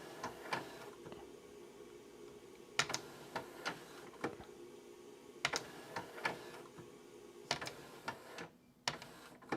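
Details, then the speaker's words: Nakamichi RX-202 tape deck after belt kit install, opening, closing and reversing: crisp, sharp mechanical clicks and clacks in short groups as the transport cycles; normal mechanism operation. "so it is working exactly the way it should and as you'll notice the way this this gear works is so when you eject it it turns from here to here and and back"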